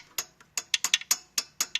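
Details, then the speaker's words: 2012 Audi Q5 turbocharger: sharp irregular metallic ticks as the wastegate actuator rod is worked; bushing has developed play so the hot-side flap won't seal tight and the turbo can't build full boost, a common Audi problem. "What happened is that bushing develops play, and it's causing that flapper not to seal tight."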